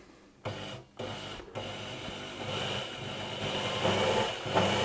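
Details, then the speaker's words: Elna Electronic TX sewing machine: hum starts, stops twice briefly and restarts cleanly, then runs steadily slightly faster; motor sounds healthy, board resistor still suspected. "so seems good. And if I stop and go again, it goes."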